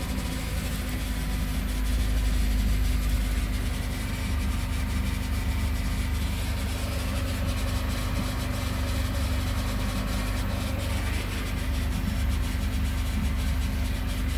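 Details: Mercedes SLK230 idling with a steady rumble and constant screeching whine from start-up, which began with a transmission leak from the bad 13-pin O-ring, now replaced; car stops moving after 1–2 minutes, cause unknown.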